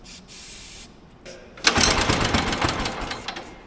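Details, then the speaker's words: Old motorized dumper, single cylinder, recoil starter. Cranks in a quick, uneven chatter for a couple of seconds but never even pops; crank no start. The main jet was later found turned all the way in, suspected of blocking fuel. "man we are not even getting a little pop I would think that we should be getting something here"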